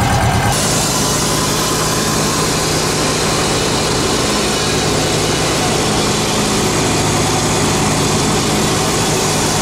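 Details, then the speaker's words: Repaired flail mower run by a tractor, revved up to cut long grass: loud, steady roar at high revs with no missing or surging; pulls evenly. "Don't know if you hear me, tractor's running, mower's running. Oh yeah. We're gonna rev it up and see how it cuts through the long grass."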